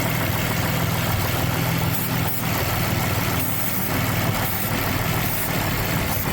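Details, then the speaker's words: Nissan 350Z with Kinetix Velocity intake manifold and cork gasket, carb cleaner sprayed at the manifold flange: the idle dips and hesitates. This indicates a vacuum leak at the flange; the welds are also suspected. "When I spray it right at the flange, you hear that mist. Yeah. And the leak was in that area for the last one too."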